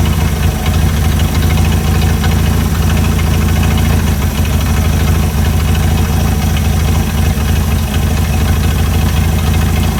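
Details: Chrysler CM Valiant Hemi 265 on its second start, idle set while fitting belts and radiator: loud, steady, even idle with a smooth beat of about three pulses a second and no misses; perfect idle, purring.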